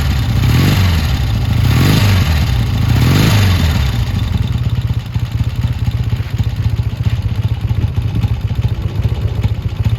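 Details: Triumph T140 twin before new carbs, hard to start, dead battery, oil pretty low, lots of smoke: lumpy, uneven firing at a fast idle with early surging revs, then ragged irregular beats. Runs rough, cause unclear.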